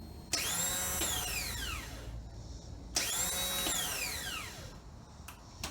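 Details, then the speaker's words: 2013 Triumph T100 Bonneville: two starter presses give only a high whine that spins up and fades, no cranking; starter motor spins without turning the engine, fault between starter motor and sprag clutch. "Looks like the starter motor is spinning, but it's not cranking the engine."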